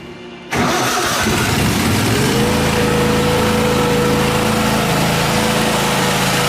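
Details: Miller Trailblazer welder engine after repair, test run before welding: catches after a short crank, then climbs smoothly to a steady, even speed with a constant hum; running normally, 120 V outputs also checked working.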